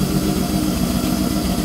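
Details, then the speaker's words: 1991 BMW 525i that sat a long time, starting only after 10-15 tries; rough shaky idle that wavers beat to beat, improving slightly, no check engine light; owner suspects fuel pump or fuel filter, unconfirmed. "I got it to start but it runs like crap see well now it's kind of running better but it's still kind of shaky"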